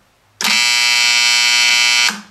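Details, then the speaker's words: EF Johnson 500 ham transmitter, restored about 15 years earlier, powered via variac: loud harsh buzz from power-supply relay RY301 whose contacts chatter instead of pulling in, since with age it lost inductance; fixed by replacing the relay. "you can see what's going on those contacts are chattering and if you allowed this to continue for a long period of time you would more than likely damage the power transformers in this power supply because you are pulsing the power on and off causing current surges could easily wipe out a transformer"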